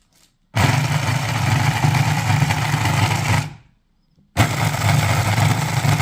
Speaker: այս սիստեմը շատ լավ աշխատեց։